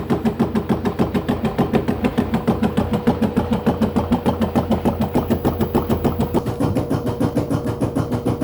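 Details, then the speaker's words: LG F-1220TD washing machine with failed, disintegrated drum bearings: steady heavy thumping about three times a second as the drum turns; drum knocking from worn bearings before bearing and seal replacement. "nadal słychać pukanie pojawiła się maszyna do pisania to pukanie powodem jest bęben"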